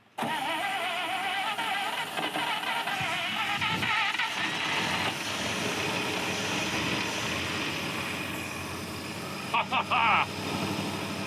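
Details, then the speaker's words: Long-stored Chieftain car, first start after fuel was bottle-fed to the engine (no accelerator pump): it catches quickly and settles into a steady, even run with no knocks or misses; healthy, generator charging. "It sounds like it was turned off yesterday. Yeah. Well, the belt's staying on after our Dremel attack. It fires right up."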